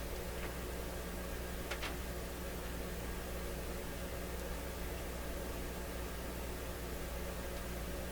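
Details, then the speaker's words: Westinghouse Model 1029 multiband tube radio with B+ a little over 100 V and a signal injected into the antenna at 10.4 and 11.8: only steady hiss and faint hum, no reception. This band does not receive 10.4 at all. "okay here we go 10.4 what happened we have a little more juice 11.8 nobody home"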